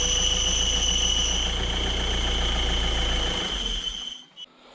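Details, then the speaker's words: 1.6 HDi diesel PSA Peugeot/Citroën Berlingo at idle before clutch replacement: high steady squeal over the idle, fading as the engine stops; worn clutch release bearing, oddly louder when the clutch pedal is pressed rather than released. "Et ce qui est marrant, c'est que c'est l'inverse. D'habitude, c'est quand tu bray que tu entends plus la butée, mais là, c'est quand tu appuies."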